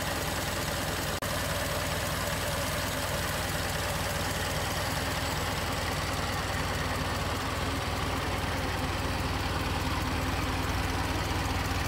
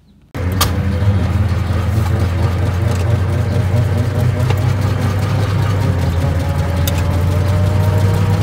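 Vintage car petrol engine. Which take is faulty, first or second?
second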